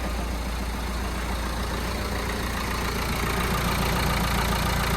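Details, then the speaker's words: Citroen Berlingo van, about 160,000 miles, first cold start after a timing belt and water pump change with fresh coolant still needing bleeding: an even, steady idle with a smooth low rumble and no knocks or squeals. It is running cleanly. "but yeah, it's first start. Let's uh see what happens. Where's the ever any go? It starts now."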